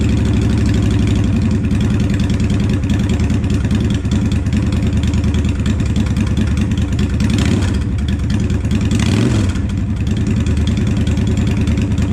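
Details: 2007 Honda Shadow Spirit 750 V-twin, first start after installing Cobra Streetrod Slashdown exhaust: deep loping idle rumble with a couple of clean throttle blips settling smoothly; healthy idle and revving.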